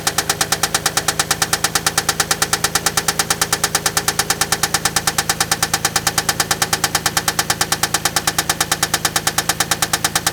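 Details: Toyota Land Cruiser engine reassembled for tests before teardown: sharp, very even metallic knock about three a second at idle; drained oil inspected, nothing conclusive, bottom-end cause suspected.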